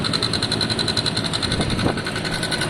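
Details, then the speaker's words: Two-stroke motorcycle, kick-started first kick on low battery, warming up at idle for a couple of minutes: crisp, rapid popping about a dozen beats a second, even and steady; normal healthy idle. "i'll give it a couple of minutes to warm up uh it's always good to warm your bikes up it gets the back tooth charge it gets the oil circulating and so on"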